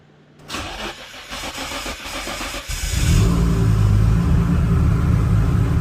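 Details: Engine with a freshly rebuilt Greddy T78 turbo (eBay kit), first start after reassembly with silencer fitted to check for boost leaks; starter cranks briefly, catches at about three seconds, settles into steady even idle, no whistle or hiss.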